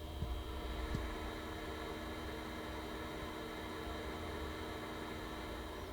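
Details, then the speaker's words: InWin B1 mini-ITX case (Ryzen 3200G, ASRock AB350 ITX) with all case fans turned down, only the power supply fan running: quiet, steady whir with faint hum, no ticking or rattle; normal. "So right now I have all the fans turned down in the system, and here's the sound of just the power supply fan."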